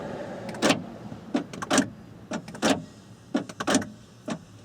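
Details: 1994–1997 Honda Accord with newly installed door lock actuator, tested via switch before refitting the panel: quick, crisp clunks in short bursts about every second, no grinding or buzzing; actuator working properly.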